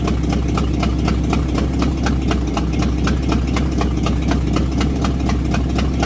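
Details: Buick with points distributor, after new cap, rotor, wires and coil, idle screw turned down earlier, in drive on brake: low lumpy idle with a steady chuff about four a second and uneven stumble; misfire persists, cause unknown, idle possibly set too low.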